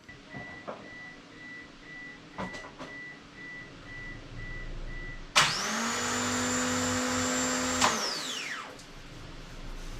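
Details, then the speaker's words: Mitsubishi Eclipse first start attempt after build, cranking to pump oil: about two and a half seconds of loud, even hissing over the cranking, cutting off sharply; fuel spraying from a leak, engine soaked, source not yet found. "so we just uh blew a lot of fuel there I was wondering what that noise was and I don't know exactly where it was coming from in there but it's pretty soaked"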